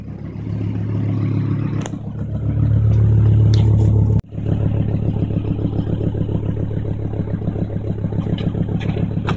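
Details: Volvo V70 T5 with loud raspy engine and a rapid blatting pulse that swells on revs, from an exhaust leak welded a year ago that has reopened badly.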